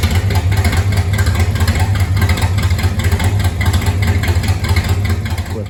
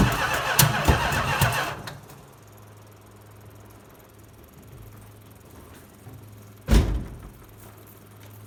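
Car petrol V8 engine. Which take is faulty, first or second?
second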